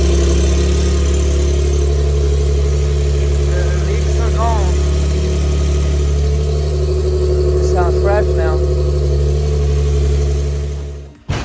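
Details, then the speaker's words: Infiniti G37S with aftermarket exhaust test pipes, after replacing leaking cheap gaskets with OEM ones: smooth, even idle rumble held steady ten seconds, no ticking or puffing at the manifold; exhaust sealed and healthy. "now we're gonna turn it on and make sure we don't have anything this is the startup right"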